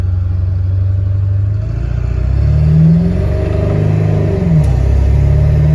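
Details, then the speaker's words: Ford 7.3 Powerstroke diesel, stock apart from exhaust, on a rebuilt upgraded turbo, warmed up and driven; deep rumble climbs and settles with throttle, pulling evenly with no flutter, knock or rattle; running better than with stock turbo. "Running way better than it was with the stock turbos, so I don't know if you guys can hear that"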